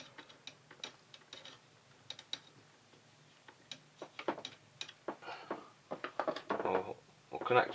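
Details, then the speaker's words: JVC HR2200 portable VHS recorder during a repair attempt, now past its flashing-light error: quiet irregular clicks and whirring bursts as the drum spins up and stops. "looks like we have operation there's that bulb blowing away brightly that drum spun up and stopped"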